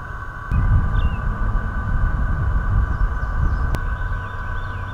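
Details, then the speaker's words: GoPro Hero 4 on a Karma Grip gimbal, filmed in wind. A steady high hissing whine from the gimbal motors sits over the recording beneath wind rumble. Owner unsure whether the wind made the motors work hard; gimbal motor noise in audio. "when I got the footage home suddenly I got this loud hissing noise coming from the motors in the audio and it's terrible take a listen to this"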